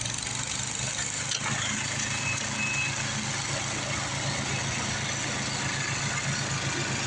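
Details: Craftsman 826 track-drive snowblower after the broken auger belt was replaced with a 31-inch belt: steady, even engine drone with a constant hiss of snow being thrown, no surging or slipping. Normal running.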